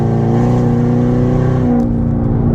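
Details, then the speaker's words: Corvette C7 Stingray V8 with the catalytic converters removed and a check engine light on, accelerating from a stoplight with increasing throttle: loud deep unmuffled exhaust drone that is painful in the cabin. "he Drone in here legitimately hurts my ears right now I'm at a stoplight I noticed I'm already yelling"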